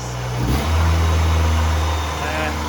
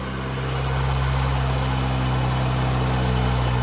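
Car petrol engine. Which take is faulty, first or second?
first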